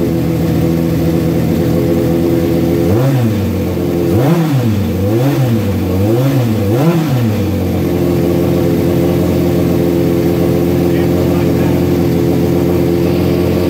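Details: Suzuki GS1100E Mr. Turbo motorcycle, first start in about 24 years after chain, brake and tank work, choke and starter fluid: steady idle and four clean throttle blips; runs fine, carb jetting still to be set on a dyno.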